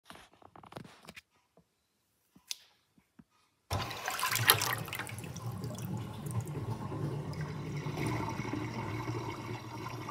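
A few drips, then a steady rush of water with a bubbly, glugging note as the sink drains; it gurgles while emptying.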